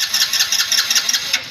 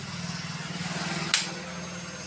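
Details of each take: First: Hero Splendor 2024 BS7 E20, fuel pump confirmed working: fast steady starter whirring with quick cranking pulses that never fires; cranks but won't start, spark and injector checks to follow. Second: Hero Splendor 2024 BS7 E20 with starting problem, heard at ignition key-on: steady buzzing pulse, sharp click, then even pump hum; fuel pump priming normally, yet bike still won't start.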